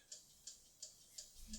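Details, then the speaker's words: Horizon 7.0AT treadmill after about six months' use: sharp, high, regular ticks about three per second over quiet running hum; support diagnosed a faulty drive motor, and the ticking was gone after replacement. "I got in touch with support already, and they said it's the motor. So there's a new one on the way."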